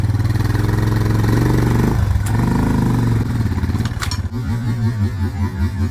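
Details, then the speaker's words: Suzuki DR650 motorcycle started with choke pulled after winter, once a fuse and the battery were replaced: single thumps at idle, blips rising cleanly in pitch and settling back to an even beat; healthy idle and revving. "ah yes as you can hear sounds [Music] like starting up but she's going so success"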